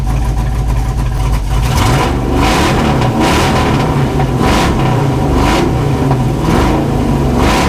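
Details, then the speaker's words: Junkyard LS V8 with an eBay cam in an S10 drag truck, coolant at about 194°F: deep, even V8 revs blip up and settle about once a second, crisp and clean with no knocks or misses. Normal revving. "[Music] foreign man this thing sounds good"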